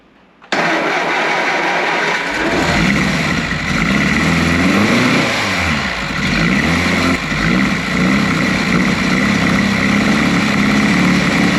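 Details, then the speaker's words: Triumph Spitfire, spark confirmed before the attempt: starter spins evenly for about two seconds, it catches cleanly and settles into a steady idle; healthy start. "we've got spark so it should fire up let's give it a go whoa hear that"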